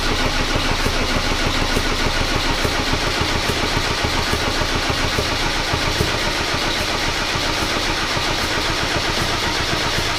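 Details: Mercedes W124 with OM606 turbo diesel, first start attempt with new battery, fuel spurting out weakly: steady starter churning at about three and a half turns per second, no firing or sputter; cranks but won't start, cause unconfirmed.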